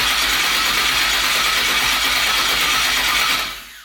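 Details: Twin-turbo 5.3 V8 New Edge Mustang, first start after wiring, battery dropping to about 8-9 volts while cranking: steady, hissy cranking whir for about three seconds with no firing; cranks, no start.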